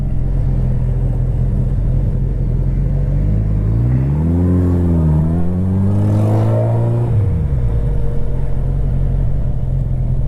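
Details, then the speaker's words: Motorcycle after running a whole bottle of Sea Foam through about half a tank, warmed up: deep steady idle then one clean rev climbing and falling smoothly, no misfire or stumble; no longer running weird. "yeah it's not running weird at all anymore sounds really good sounds like a happy bike"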